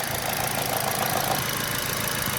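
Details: All New Picanto with a new Mire alternator fitted for low charging; a battery tester reads about 14 V and charging is normal after a 2500 rpm check. Even, steady idle with no dips or extra noises: normal idle.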